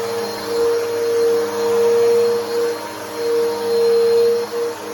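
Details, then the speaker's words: Older Bissell Powerforce Helix 2191 vacuum, whose motor is described as a bit funky. It gives a high, strained motor tone that wavers and swells about every second; abnormal motor sound. "wer first Helix sounds like and yes the motor is a little bit funky on this but uh it'll have to do but this is what it sounds like"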